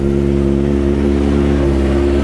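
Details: Kawasaki ZX25R with Yoshimura exhaust, after a tune-up and chain oiling, holds raised revs with a steady, smooth, full note and no knocks or rattles; engine running healthy.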